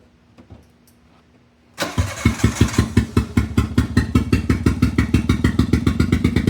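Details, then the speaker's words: Autozam AZ-1 after clearing a clogged exhaust, idling in uneven, lopsided pulses while running on only two cylinders; the bad distributor cap and plug wires were found to be the cause. Misfire. "there we go still running off two I think that's one you want to hit it a little bit"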